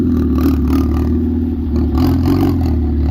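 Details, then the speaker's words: Ford Focus ST after fitting an eBay turbo, lean on first startup, running after fuse locations were sorted: deep, even engine note rising and falling with light revs, no misfire or stumble; deeper and quieter than before, running properly. "sounds much better than it did before that's for sure i like this way better it's a lot deeper"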